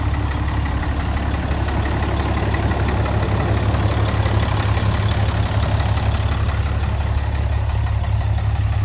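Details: 2010 Dodge 6.7 Cummins diesel, emissions deleted, at idle: heavy clatter with a steady knock about three per second, sounding like the bottom end; owner added Lucas oil after an oil change. Engine knock at idle, cause unconfirmed.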